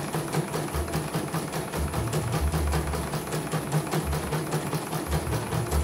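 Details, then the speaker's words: CNY embroidery machine (M21), sent in fully jammed with heavy rotation, retested with covers closed after servicing; the drag was traced to a belt. Quick, even stitching clatter at about two and a half beats per second with no binding or hesitation: runs smoothly. "Oke, normal ya. Hasil oke. Tidak ada kendala sudah. Kita ditutup dan tes kembali."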